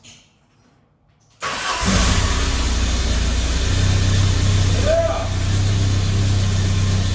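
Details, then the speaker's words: 1987 VW Cabriolet Mk1 CIS, first start in many years after fuel pump relay bypass, accessory belt off: short crank, catches cleanly and settles into smooth, even idle, no misses or knocks; normal start and idle. "guys as you can see she seems to run good"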